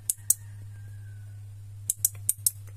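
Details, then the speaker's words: Toyota Kijang factory door lock module tested in manual lock/unlock mode: sharp relay clicks over a low hum, yet the module may still send no current to the locks, so the output must be confirmed with a test pen. "dia masih relaynya seolah-olah berbunyi menandakan dia hidup tapi jangan tertipu dengan suara relay seperti ini kita memastikannya harus menggunakan Taspen lagi ya"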